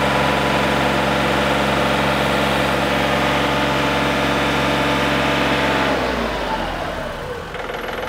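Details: John Deere 3520 diesel tractor tested after throttle cable replacement, warming up: steady, even diesel drone at high throttle, then a smooth wind-down; no knocks or misses, runs healthy.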